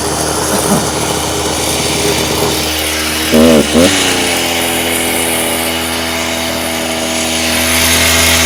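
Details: Stihl TS350 Super cut-off saw, two-stroke, restarted after rebuild with new cylinder, piston, crank bearings and seals: revving hard, pitch climbs then settles unevenly with a slight stumble on pickup; boggy running, needs carb tuning.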